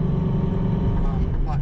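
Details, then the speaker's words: Car with newly installed Lethal Performance Street Fighter 525 Kevlar single-disc clutch, cruising in fourth gear at 3000 rpm: steady low drone that eases when throttle is feathered. Drivetrain noise, cause undetermined. "now you can still hear that kalimer fourth gear 3000 rpm noise you feather up a little bit it"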